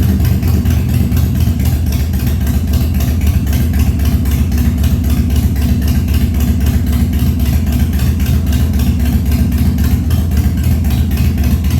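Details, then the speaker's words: 1997 Harley-Davidson Fat Boy after carb clean, new gaskets, spark plugs and battery, full choke cold start at 70 degrees and humid: lumpy but steady V-twin thump about four pulses a second, no misfires or knocking; healthy start settling into idle. "I'll go ahead and choke it since it's basically a cold start we'll try full chug first and see what we get"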